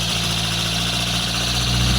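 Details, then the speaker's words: Barn-find Lotus Elan Sprint big-valve twin cam on Dellorto carbs, off the road since the early 1990s (33+ years), first start: fast, even, buzzy idle on full choke with no misfires. Normal idle on choke. "That's so good. That's it. It's just idling on choke."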